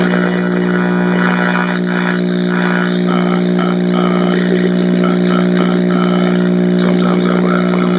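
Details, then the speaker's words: Zenith X114W tube radio, chassis 5M04, on first power-up after brief warm-up: loud, steady low hum under faint station sound, never wavering — bad, dried-out filter capacitors in the power supply. "Alright, right off the bat, there's our bad filter capacitors."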